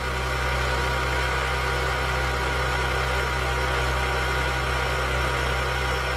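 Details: Honda S2000 petrol engine idling smoothly and evenly with no squeal, chirp or grinding from the belt pulleys, after the belt pulley bearing was replaced and the serpentine belt refitted; normal idle.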